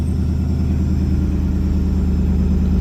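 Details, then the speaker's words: 2003 Ford F-150 V8 after replacing a failed ignition coil with a new NGK coil: deep, even idle burble with a smooth steady rhythm and no stumbles; runs clean on all cylinders; the coil did it; normal idle. "Looking good. Looking good. That coil did it. Yeah, it looks pretty nice. I think now she's finally done."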